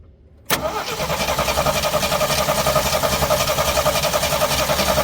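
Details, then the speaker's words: 1974 AMC Hornet with points distributor, parked for years: starter turns it over steadily, about three and a half beats a second, but it never fires; weak spark present; cranks but won't start. "I was not prepared for that because this thing has always started it could sit for absolute years and then start"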